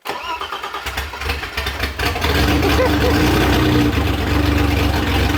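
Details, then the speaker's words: BMW E30 325i M20 at first start after fitting a reworked aftermarket AMC head, ported, polished, valve-lapped and gasket-matched. About two seconds of cranking, then a smooth, even idle with a raw open-pipe note; it runs better than on its first attempt. "oh mon Dieu elle a l'air incroyable, qu'est-ce qui n'allait pas chez toi la première fois"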